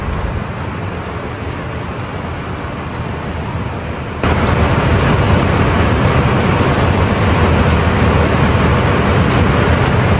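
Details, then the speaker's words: Ship main marine diesel run during departure preparation, after confirming no water and closing test cocks, ahead/astern testing; deep even rumble about three beats a second, stepping up firmly at higher load, turbo heard, no knocks; normal running. "Matakbo na, check natin ang mga abnormalities. Pakinggan natin yung tunog ng makina, yung turbo."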